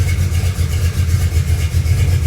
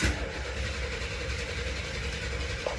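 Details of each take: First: 1974 Camaro, built 350 V8 with mild cam, roller rockers, headers, new exhaust with two Flowmaster Super 10 mufflers, before warm-up: deep loud burbling steady lumpy idle, no knocks or ticks; normal idle. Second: 1974 Camaro with built 350 V8 (mild cam, roller rockers, headers) cranking for about seven seconds with a steady rough churn as the dry fuel system primes, fuel not yet at the filter; easy to flood, slow to catch.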